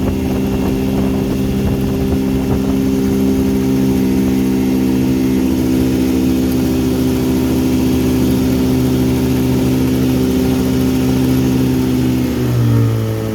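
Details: 1959 Elgin 7.5hp two-stroke outboard on 24:1 full-synthetic mix, on the pond after crankshaft repair and restoring spark: smooth, even drone holding a steady pitch, easing down at the end; running cleanly and just about planes off.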